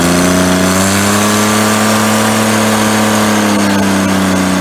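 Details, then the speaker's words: 1988 John Deere 322 mowing tractor, about 200 hours since frame swap, carb just cleaned of tank sediment: loud, raw, steady unmuffled drone at constant speed; sounds like a blown-out muffler, suspected, not confirmed. "so yeah it runs good it kind of sounds like with the muffler blown out but"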